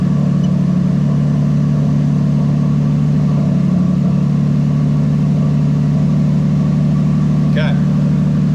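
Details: 1JZ-GTE VVT-i engine from a JZS171 Crown swapped into a Toyota Altezza RS200 with a plug-and-play harness, no fault codes: even, steady idle with a smooth low drone and no ticking, knocking or stumbling. It is idling normally.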